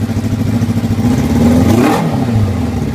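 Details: 1988 Kawasaki ZX600 Ninja four-cylinder after carburetor syncing and balancing and new spark plugs; revs up cleanly and falls back smoothly with crisp throttle response, no misfire or stumble; normal running.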